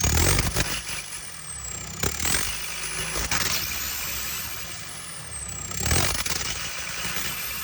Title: JCB 220 ecomax misfiring